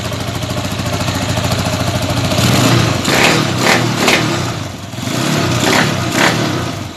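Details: Carbureted motorcycle, previously hard to start with idle rising once running, after its very dirty carburetor was removed and cleaned: engine fires up and takes a few clean throttle blips, revs rising and falling freely without stumbling; normal running.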